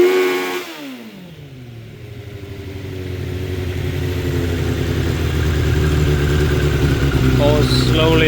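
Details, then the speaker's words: 2006 Suzuki GSX 600F Katana after carb cleaning, carb sync and float adjustment, mixture screws guessed: revs up, stumbles, then hangs and falls slowly to steady idle; owner suspects too much fuel, plans turning mixture screws in. "cators and then it kind of stays up in idle then Falls slowly down it's kind of weird then I rev it"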